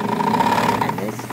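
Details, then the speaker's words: Necchi BU Italian zigzag sewing machine running on high speed: steady motor hum sags and slows partway through even after cleaning the clutch area, because the clutch releases itself during sewing. Clutch slipping, before repair. "noticed that it just suddenly slowed down it's still working and even though i've cleaned up the clutch area in there it is going much slower than it normally would"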